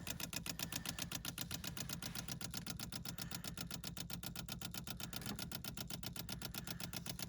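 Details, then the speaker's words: 1972 Rover 3500 P6 V8 sitting 6–10 years, being revived: steady, quick ticking of about four clicks a second from the electric fuel pump priming; pump working normally, no leaks. "Electric fuel pump. Ticking away."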